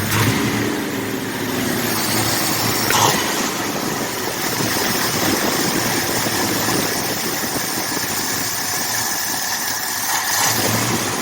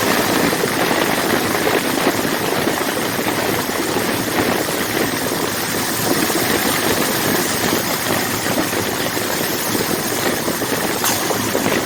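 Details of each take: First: Rebuilt 1979 Ford F150 engine, warming up, temperature and oil pressure good: steady, even idle with smooth low rumble, no misses, knocks or hunting; normal idle. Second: Rebuilt 1979 Ford F150 carbureted engine, warming up: idle lumpy and unsteady with uneven firing and loose rattle, as if about to stall; won't idle, no leaks found, cause unknown to the owner.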